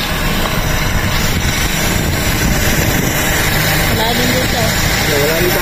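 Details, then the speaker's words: 2001 Toyota Altis 1.8G at idle after an oil change with the oil pan removed and strainer cleaned: a steady, even low rumble with no knocks or ticks. It is now very quiet. It is not revved hard because the new pan gasket has just seated. "Check natin kung okay yung pinagawa natin ng makina. So ayan, napakatahimik mga kadeway, oh."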